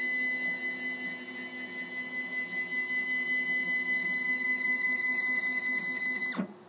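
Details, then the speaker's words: Stepcraft 840 CNC during Z-axis travel setup: steady high motor whine with faint dry scraping as the Z axis lowers, cut off sharply at the limit switch; rail noise concerns owner, cause unclear. "I think we got this worked out just that that noise from the rails that concerns me a little bit"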